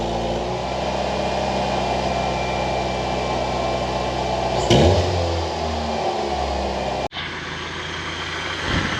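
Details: 1989 Ford Mustang Fox 4-cylinder, after injector cleaning/rebuild and a new home-welded, leak-free exhaust, before idle adjustment (was idling extremely high): steady, even idle, deep smooth exhaust note, no puffing or ticking from joints; normal idle.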